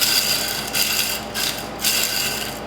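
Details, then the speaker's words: Subaru BRZ/FR-S/GT86 clutch release (throwout) bearing, removed with the transmission out and turned by hand: a dry, gritty rasp in bursts. The bearing is worn out and is being replaced with a 2017-model bearing. "so we got the piece of throw out bearing out and yeah you can tell that the bad and you just hear it"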